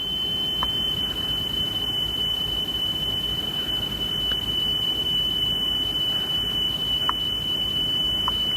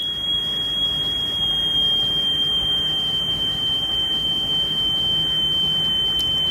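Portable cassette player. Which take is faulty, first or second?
second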